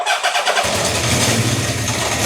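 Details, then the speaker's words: Honda CB750 K4 SOHC, carbs not yet smoothed and ignition timing unset after multiple rebuilds: starter catches, then uneven, lumpy idle with a light tapping knock described as slapping; won't hold idle. "You can hear you'll be able to hear the difference. Hear that knocking? That's slapping. Doesn't want to idle."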